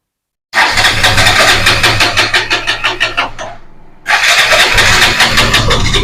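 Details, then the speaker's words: KTM 200 with intermittent hard starting and misfiring at full throttle: the starter cranks about three seconds, then the engine fires and runs; the cause is a faulty ignition coil connection, before replacing the coil. "ഇപ്പൊ നമ്മൾ വണ്ടി start ചെയ്യാൻ നോക്കിയിട്ട് ഇതിന്റെ starting റോഡിൽ ഉണ്ട് ഇടക്കിടക്ക് വണ്ടി സ്റ്റാർട്ട് ആവുന്നതാണ് ഇടയ്ക്കിടയ്ക്ക് വണ്ടി സ്റ്റാർട്ട് ആകത്തില്ല"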